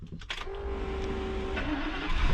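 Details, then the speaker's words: 1990s 36-foot Fleetwood Bounder Class A motorhome with Ford V10, bought sight unseen at auction: starter whirs about a second, then the engine catches and settles into a steady run; normal, clean start. "Hey, it started up."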